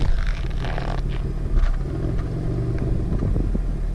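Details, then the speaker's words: Pontiac Grand Prix GTP supercharged, at idle with sound heard through the exhaust: a deep rumble that stutters and hunts, rpm dropping and surging, without dying; it starts and drives fine and the cause is unknown. "you guys could hear that stuttered big-time but it never it's never died and it's idled for half an hour at a time before testing it never dies just idles funny"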